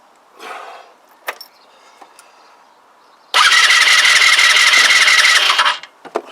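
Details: Kymco Agility 125 scooter, long off the road with no spark, first compression test with gauge fitted: starter spins about two seconds with fast even churn near three beats a second and high whine, no start; reads 80 psi.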